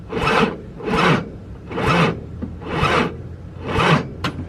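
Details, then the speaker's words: VW VR6 that won't stay running, after coolant pipe gasket repair: slow heavy cranking surging about once a second with a rasping drag, never catching, as the battery goes dead; hesitation with intake connected still unexplained. "dead now so I gotta take the battery and get charged"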